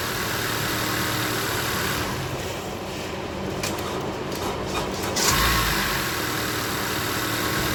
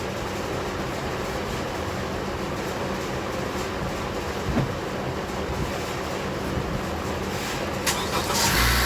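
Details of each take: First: Honda CR-V with weak battery of unknown age: starter drags slow and laboured before the engine finally catches, dash lights dim; battery too weak to crank properly. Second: Honda CR-V started after battery work: engine catches and settles into a smooth, even run with no slow or labouring crank; starting system working properly.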